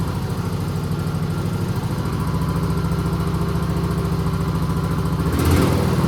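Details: Husqvarna YTH20K46 mower with replacement 20hp Kohler Courage SV600 engine idling after swap, new air filter: steady, even low putter, no misses or knocks; runs pretty good, carburetor great, normal idle.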